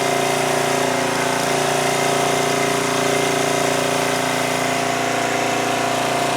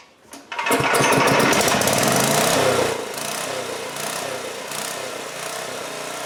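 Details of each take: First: 2002 Coleman Powermate 5500 generator after engine speed adjustment brought output from 135 V down to 120-121 V: steady, even drone at constant speed with no hunting, misses or knocks. Normal running. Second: 2002 Coleman Powermate 5500 generator after carburetor cleaning and motor mount repair runs a high, busy, steady drone, too fast with 135 volts output; governor spring tension set too high, nut possibly tampered, to be backed off.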